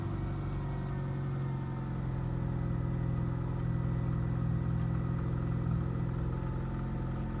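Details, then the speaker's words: 2006 Ford Fiesta petrol four-cylinder at idle, before a spark plug change: a low, steady idle with a faint, slow rise and fall in revs. The idle hunts slightly, cause unclear. "So it is a little bit higher, lower, and the"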